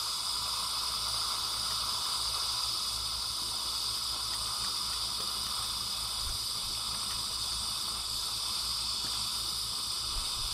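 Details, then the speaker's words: AC Homeline breaker used on a DC solar array; loud steady hiss with faint crackles as sustained DC arcing inside the breaker cannot be extinguished, breaker turning white near bottom. "i don't know if you can hear that but you can hear that dc arcing inside that breaker and you can see the breaker starting to turn white down bottom where it's getting ready to blow out through"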